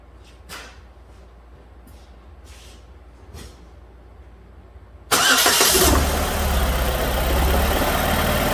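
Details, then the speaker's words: 2006 Chevrolet Malibu 2.2 Ecotec four-cylinder, flashing MIL, P0300, plugs already replaced: cranks and catches into lumpy, uneven idle with spark tester on waste-spark coil cylinder 1; no spark, cylinders 1 and 4 dead, ignition control module later found failed. "let's try adjusting the spark tester down to see if we got a weak spark no spark at all so we need to check that drive circuit to make sure that it's working"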